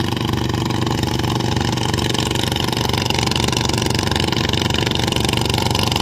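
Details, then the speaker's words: Nok 141 (bird-brand) frame machine with gear oil filled full and a size 78 belt: steady engine beat with a constant gear whine and no grinding or clunks, which is normal for this gearbox. "แต่พี่บอกนะครับเฟืองหอนครับเฟืองหอนไม่ต้องกลัวครับปล่อยมันเลยเสร็จอาการปกติของมันอยู่แล้วครับ"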